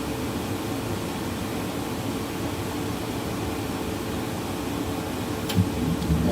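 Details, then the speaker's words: Dometic RV furnace test-fired after repairing and re-adjusting its sail switch, thermostat set to about 75–76°F: a steady blower hum with a faint constant tone, then a click as the burner lights. The furnace runs normally and the repair appears successful. "it just fired up. Sounds wonderful. I think we got it fixed."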